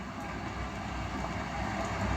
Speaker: still in good condition still smooth no knocks no rattles